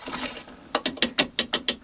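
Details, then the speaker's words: New Bosch PTS10 table saw, angle adjustment part: sharp, evenly spaced ratchet-like clicks, about eight per second. The part clicks but still has play and skips instead of holding, and the owner calls it rubbish. "So you hear it clicking, but there's movement."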